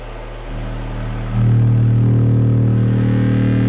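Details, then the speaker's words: Vintage Realistic (Radio Shack) STA-235 stereo receiver driven hard while checked on an oscilloscope: harsh, buzzy tone turning gritty as volume jumps, waveform hard clipping around 31 volts; amplifier clipping. "oh shoot am I blowing my speaker poor speaker man up like you say Distortion kills the speakers faster than most other things"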